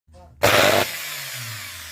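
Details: Angle grinder with failed armature (commutator segments lifted and separated) after owner replaced brushes: harsh crackling roar with heavy commutator sparking, then a rough hum with a hissing edge.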